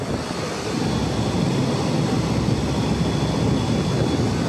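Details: Walk-in freezer condensing unit running normally after compressor replacement and an extra half pound of refrigerant: head 199, 9–11° subcooling, 185° discharge temp, 144 evaporator coil temperature. Steady, even rush of fan air over a low hum, no knocks, rattles or surging.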